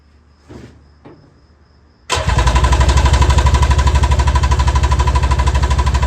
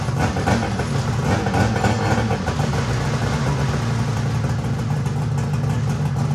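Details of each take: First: Mini jet boat two-stroke, first start on reserve fuel: brief cranking, then it catches hard and holds a loud, fast, steady beat, revving too high with lots of smoke; cause unclear, it did not seize. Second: Mini jet boat two-stroke running for the first time ever: buzzy idle with light throttle blips, running evenly with no stumbling or misfire; the kill switch works.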